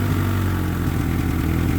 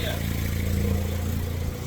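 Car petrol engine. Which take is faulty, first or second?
first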